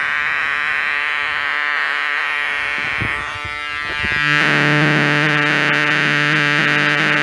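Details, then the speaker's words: Homemade LM386 micro amplifier on 9 V battery (7.9 V), no supply filter capacitor: steady raspy buzzing hum with faint music leaking underneath; same noise as on bench supply. Fixed by adding a 10 µF capacitor. "Kalau didengarkan sih ada suara musiknya sih masuk ya. Cuman ini, oke, ini kayaknya noise ya."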